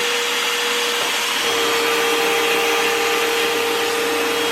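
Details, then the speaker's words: Hoover vacuum that failed to pick up debris, after repair: steady, even motor hum with constant high tone, no rattle or labouring; brush roll turning normally on the floor. "Okay, so now you can see it's not turning right here, still the way it's supposed to be. And now we'll bring it down to the floor, and you can see it turning just the way it's supposed to."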